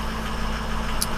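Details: 2004 Ford F-250 6.0 diesel idling after a new BulletProof Diesel FICM power supply cured a crank-no-start from low FICM voltage; IPR about 51%, FICM 47.5–49 V, ICP about 1,320 psi. Smooth, steady drone, no misses or stumbles. Normal.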